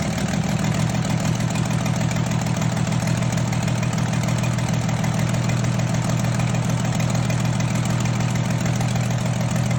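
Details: 2003 Dodge Ram 3500 with a 5.9 Cummins diesel, swapped short block and reused head, on first start after the rebuild: a steady, even diesel clatter and smooth, deep rumble with no misses or knocks. Normal idle.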